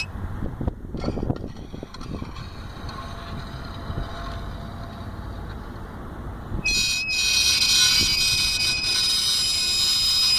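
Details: Vauxhall Astra H wheel, removed and turned slowly: a piercing steady metallic squeal from the bent rear metal brake disc guard gently rubbing the disc, fixed by bending it back with a screwdriver.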